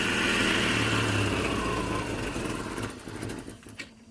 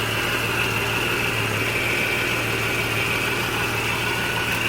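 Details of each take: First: 1989 Jeep Cherokee 4.0L I6 (Renix, AW4) just after installing a new DieHard Platinum AGM battery: engine idles loud and uneven, then tapers down over a few seconds; owner attributes the hunting idle to the computer recalibrating after battery disconnection. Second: 1989 Jeep Cherokee Pioneer, 4.0L inline-six Renix engine, AW4 transmission, just started after a DieHard Platinum AGM battery upgrade: steady, even idle hum with no knocks, ticks or misses; the engine sounds healthy.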